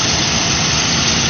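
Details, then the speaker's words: Cadillac DeVille idling after a fuel pump replacement: smooth, even idle with a steady hum and no knocks or misses; engine healthy and running. "She's running. She is alive. She's alive."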